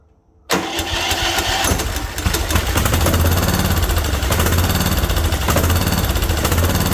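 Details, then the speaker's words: Craftsman mower with Kohler Courage, on a squirt of starting fluid: silence, then catches at once and runs a steady, somewhat uneven thump about three beats a second; fired right up. "Why is it taken apart? That fired right up. I don't understand."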